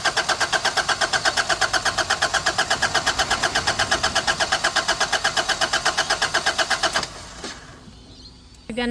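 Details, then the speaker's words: Nissan Navara D40 diesel after primary fuel filter replacement without adequate hand priming: steady even cranking about three beats a second for seven seconds without firing; cranks but won't start. "I said the guy said to do electric you got to have a good battery cuz you got to crank it a lot"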